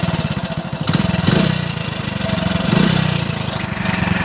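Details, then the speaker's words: Motorcycle at idle: a fast, even "kada kada" clatter rides over the engine at a constant pace; owner hears it from the cylinder head, cause unknown; top-end rattle at idle. "ஒரு மாதிரியே கட கட கட கடன்னு கேக்குது கரெக்டா எங்கன்னு பாத்தீங்கன்னா ஹெட்ல தான் கேக்குது."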